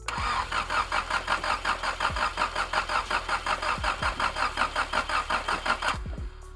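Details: 1984–87 Nissan S12 barn-find junkyard car, broken wires noted: cranks at nearly three turns a second for six seconds without firing; "no fuel" remarked, cause not confirmed.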